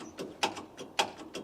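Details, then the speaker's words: Massey Ferguson 135 tractor with a Perkins engine, in neutral: sharp dry clicks about every half second with no cranking, starter clicking on a flat battery before a jump start. "So she's clicking, but not starting."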